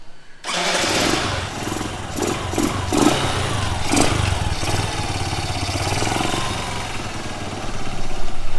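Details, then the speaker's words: Suzuki Hayate after fixing self-starter problem: quick starter crank, engine catches at once and settles to a steady idle with a small blip; starter works, though its armature sounds slightly loud at start and shutoff. "So இப்போ பார்த்தீங்கன்னா வந்துட்டு self எடுத்துடுச்சு, project success."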